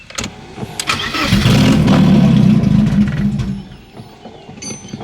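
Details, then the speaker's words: 1991 BMW 318i that hasn't been driven in years, first start attempt: the starter cranks at about four beats a second, fairly even, but it never fires. The owner suspects a dead battery and uses a charger; a bad MAF was suspected later. "Alright, now let's see if she starts. The battery honestly might be dead."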